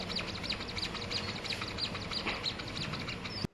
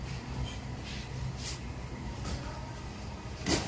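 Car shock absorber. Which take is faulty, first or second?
first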